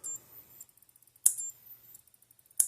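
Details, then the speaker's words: Power Wizard PW18000 electric fence energizer, under five years old, probably overheated on too little fence: sharp loud snaps about every 1.3 seconds with faint ticking between. The board is fine, but the transformer is breaking down inside and needs replacing. "it sounds like it's snapping a little loud I think cuz it's starting to break down inside the Transformer even more hasn't gone completely out"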